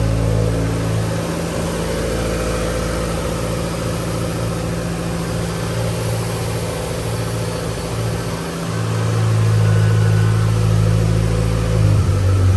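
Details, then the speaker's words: Mitsubishi Lancer Evolution (Evo X) idling after serpentine belt installation: smooth even idle with a brief rev, no whine or squeal from belt or alternator, no battery light; charging system sounds healthy. "all right no battery light i don't hear no whining"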